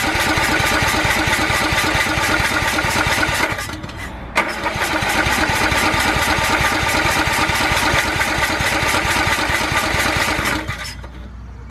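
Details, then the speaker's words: Riding lawnmower not run in years, carburettor cleaned, fresh gas, used battery charged overnight, first crank: cranking and rough firing for a few seconds, dying away, catching briefly again before quitting; engine starts then stalls, cause unknown. "so she fired off once ran for a second and then quit running so I don't know what that means"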